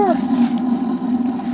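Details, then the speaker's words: Propane burner on a newly installed Suburban RV water heater (replacing a leaking tank) lights after several tries; steady low roar, even with no popping or sputter, flame blue; normal burner operation. "Cool. Sounds good. Nice and blue. That's what you want."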